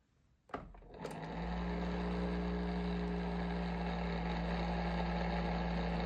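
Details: Bionaire ceramic heater tower fan after switch-on: spins up to a steady low hum with a droning buzz and fast flutter; fan motor sounds abnormal, cause unknown.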